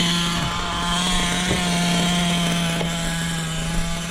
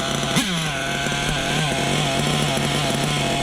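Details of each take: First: Small glow-fuel engine in an RC truck holding a steady, buzzy, even idle that doesn't stumble or die and isn't getting hot; it is then adjusted as slightly too lean on the bottom end. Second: Small nitro engine being broken in, not running hot, idles with a buzzy tone that pulses gently up and down after the bottom-end needle was leaned and idle backed off; slightly too lean on the bottom.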